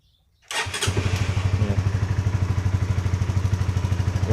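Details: Honda CBR150 after fitting new 12 V 7 Ah battery: engine catches after brief crank and settles into even steady idle thump about three beats a second; normal start.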